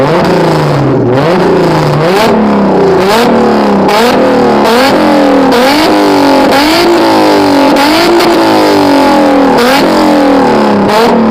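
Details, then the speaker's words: Acura Legend, mechanically properly tuned, revved for a few seconds: repeated quick revs, with pitch climbing cleanly and falling back each second or so, no misfire or rattle. Normal revving. "So yeah, that's what an Acura Legend sounds like when it's properly tuned, mechanical wise."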